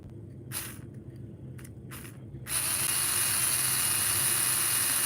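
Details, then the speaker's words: Slot car with wheels running: a few faint rattles, then the small motor spins up to a steady smooth high whine that holds even; normal motor run. "that thing is purring tell me that's not purring somebody just tell me it doesn't sound beautiful"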